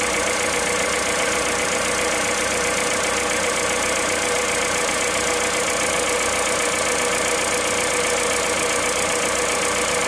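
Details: Cold engine at idle, 65,000 km, 0W30 Total Ineo ECS oil: loud, busy rattling clatter with a loose rhythm near ninety a minute; abnormal cold-start noise, cause undetermined.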